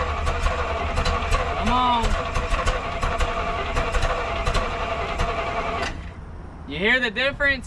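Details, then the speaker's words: 1971 Chevrolet M705 4x4 military truck, not run in years, after replacing brittle distributor vacuum hose, given some gas: fires but runs lumpy with uneven pops and ticks; ignition timing needs distributor adjustment. "I'm going to give it a little bit of gas. Oh, definitely needs a little bit of a timing adjustment."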